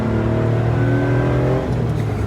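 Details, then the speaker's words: Free 80s three-cylinder hatchback, with slight wheel bearing noise noted: a steady, throbby three-cylinder drone rises evenly under acceleration with no knocks or misses. The engine is running normally. "3 cylinders sounds so fun. Because like 4 cylinders are outer cylinder 2 and like that. This 3 cylinder is one after another."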